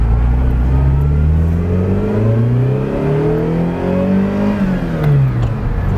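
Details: 1978 Ferrari 308GTB, restored, with a brand new clutch and a Holley installed. Revs climb and fall cleanly with a smooth, even tone and no misses or knocks; engine runs very well.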